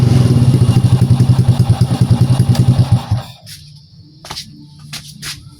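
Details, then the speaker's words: Old Honda Prima motorbike after CDI replacement, which cured its hard starting: it starts on one kick and holds an even single-cylinder thump of about 3.5 beats a second, running cleanly. "Oke ya, untuk hidupnya normal dan sekali engkol ini langsung hidup."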